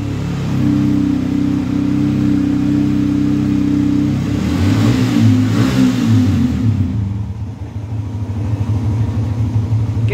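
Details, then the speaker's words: Old Yamaha Vixion, engine code 3C1, that stalled and wouldn't run after being washed, now running after the fix: the engine picks up from idle, revs rise briefly and settle back to an even idle. "nah ini motor sudah nyala teman-teman RPM naik ya bahwasannya menandakan Ini motor sudah hidup ya oke minimalnya motor hidup oke"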